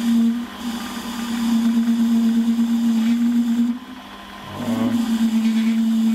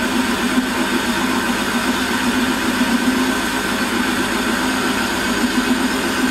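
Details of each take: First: Holzmann ED400FD lathe turning a long bar to 24.85 mm diameter, with a half-millimetre depth of cut and no tailstock center. Steady mid-pitched hum that dips briefly. Chatter from the long unsupported overhang; a center would clearly reduce it. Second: Holzmann ED400FD lathe, automatic feed, 1 mm infeed. Steady, even hum with no chatter through the whole cut, then it winds down; noise clearly lower, vibration near zero. Normal lathe cutting.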